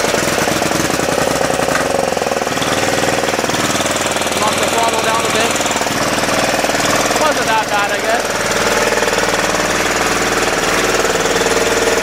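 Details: 10hp single-cylinder LaunTop Yanmar-clone diesel just after a cold start at about -4C. Loud, steady, even clatter at about three beats a second. Normal cold running, still smoking as it warms up.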